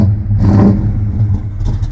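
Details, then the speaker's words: Dodge Dart Swinger 340 V8, started with clutch in: deep, even burble pulls up cleanly on a quick throttle blip and settles back; no knocks or ticks, healthy. "gotta figure out. Ooh, it sounds good. Nice."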